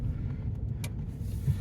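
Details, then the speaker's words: 2018 Chevrolet Silverado at 100,000 miles, driven over small bumps and manhole covers after the left-front clunk was repaired with a new sway bar link: low, even road rumble with no rattle or clunk; the suspension is now quiet. "little bumps right here there's some manhole covers here there's a good bump up here too yeah instantly it's uh it's fixed"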